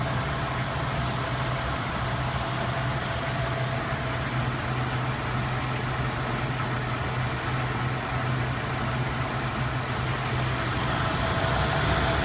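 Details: Engine with an uneven, stumbling idle over a low drone. Codes were scanned and a cylinder balance test passed all cylinders; cap, rotor, plugs, wires, coil and temp sensor were replaced and timing set, yet it still misfires at idle.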